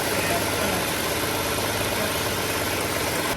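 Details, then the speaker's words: 1967 Ford Mustang warming to idle after carburetor main jet opened and float adjusted to fix very lean mixture (previously AFR 18–19): steady even idle, no surging or stumbling, now near stoichiometric 14.7 at idle. "So we're gonna go ahead and fire it up and get it warmed up and see if we made the adjustments we needed to."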